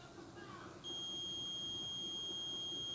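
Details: Samsung CRT TV that was dead, with no screen, no LED and only a tik-tik sound: a steady high continuity beep holds across the power transistor's base and collector, so that junction is shorted; the 1803 transistor is to be replaced.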